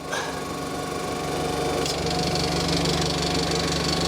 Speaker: Yeah, Kelvin, let the compressor start up again. I don't like the way this sounds when it starts up.